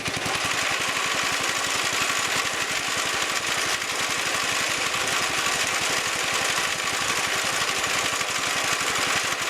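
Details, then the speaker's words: Wheel Horse Commando 800 sickle bar mower with a pull-start 8 hp engine, after replacing its old belts: the small single-cylinder engine runs at a steady, even beat with no misses or knocks. Normal running after repair. "Looks like we're back in business. Okay, got her fired up and got her in the transport position."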